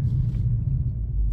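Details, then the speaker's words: Infiniti M45 with a replacement VK45DE V8 (about 60k miles), idling at a stop while driving: a quiet, low, smooth rumble. The earlier knock heard at a stop has gone away on its own, and it sounds healthy. Normal idle. "like now when I come to a stop it's completely quiet it sounds really good too like it sounds healthy"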